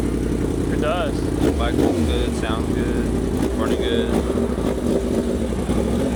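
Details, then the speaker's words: 2025 Yamaha R1 on a test ride after new spark plugs and air filter: steady, even engine note with wind and road noise, no misfire or stumble; sounds better and cleaner-running than before. "sounds a lot better. Sounds like it's running cleaner."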